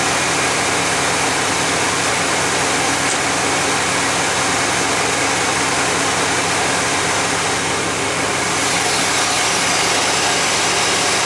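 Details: 1991 GMC Jimmy fully warmed up, about 16°C (55°F) ambient: fast, steady idle with a busy intake rush and no dip or flare; flammable spray found no vacuum leak, owner suspects an air-fuel or other sensor sending false information.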